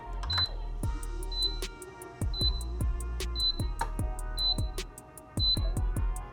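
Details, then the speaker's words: Casabrews CM5418 espresso machine at switch-on: six high, short beeps about a second apart, signalling it needs cleaning and descaling. "If your Casabrews does that beeping you first turn it on, it means it needs to be cleaned out."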